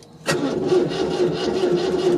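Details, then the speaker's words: 1974 MGB with freshly rebuilt engine (new rods, pistons, crank), coil unplugged, priming for oil pressure before first start: starter turns engine over slowly and unevenly; battery sounds a little dead, suspected, not confirmed. "all right it spins battery definitely sounds a little dead"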